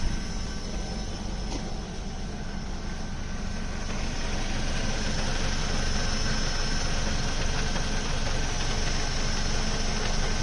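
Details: Ford Focus Mk2 2.0 Duratec petrol with MTX-75 gearbox: a low, uneven rattle at about three beats a second under a steady idle. It disappears when the clutch is pressed. Not the flywheel or release bearing; the clutch was fully replaced but the noise remains.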